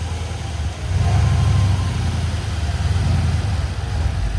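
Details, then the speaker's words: Crash-repaired Mercedes-AMG C63 S started after refitting the throttle body; deep steady rumble with a light throttle blip, no stumble or misfire, idling smoothly, better than before. "It's better. After that, it's better. Smooth as."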